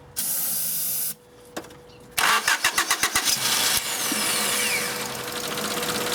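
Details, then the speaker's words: 1993 Honda Accord, intermittent no-start when hot: starter cranks in a quick rhythmic chug, engine catches briefly then stumbles; fuel delivery suspected. "Sure seems like it wants to run."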